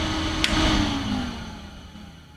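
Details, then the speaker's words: Compaq DeskPro 286e (286 PC) shutdown: single sharp clunk of the power switch, then fan hum slides smoothly down and fades; normal power-down and fan spin-down. "Actually, I'm going to shut the system down here. Here's the clunk."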